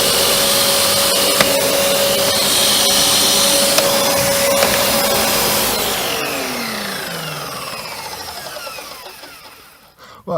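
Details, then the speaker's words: Panasonic MC-UG302 1900 W upright vacuum, brushroll had seized; steady even motor whine with no rattle or catching, then a smooth pitch drop as it spins down; normal running. "that's much better listen nice little per unwind down"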